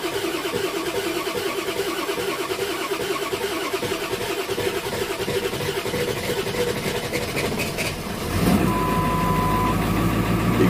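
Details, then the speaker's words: 2000 Ford Excursion 7.3 diesel, cold start: long uneven cranking about 180 rpm with fresh batteries, then rough lumpy idle misfiring; glow plug and intake heater codes, low relative compression cylinders 3 and 8, needs engine work. "hear the cadence of the engine there's at least one cylinder probably too better misfiring"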